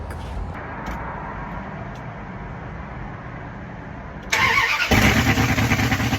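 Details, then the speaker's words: 5.2L Magnum V8 truck with new headers, no exhaust yet, cranks and starts loud and open with an uneven stumbling pulse; misfire because running without manifolds cooked most ignition wires, which need replacing. "very idiotic decision of me to leave the manifolds off whenever I did that because not only did that create a misfire, but it also cooked my cables."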